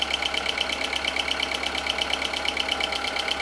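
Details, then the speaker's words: Audi A2 1.4 16V AUA petrol after timing belt, water pump and accessory belt/tensioner replacement: steady idle with light even ticking about twice a second, no misses, while coolant circulates; running fine, better than before. "smooth sounds a lot better than it did before oh my goodness me wonderful wonderful wonderful sounds absolutely perfect"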